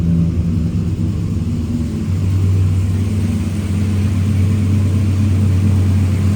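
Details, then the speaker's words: Chevy pickup after hydroboost brake conversion with junkyard parts and power steering refilled: even, steady idle rumble with no whine or groan from the power steering pump; steering smooth, pump healthy. "No noise from the power steering pump, that's a good sign."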